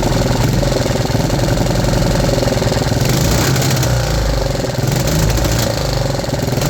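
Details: 3D-printed 125cc four-stroke engine, fixed 10° ignition timing, top-RPM run reaching 4000 rpm: loud, fast, even firing with a choppy rev-limiter-like pulse and no misfires; running properly.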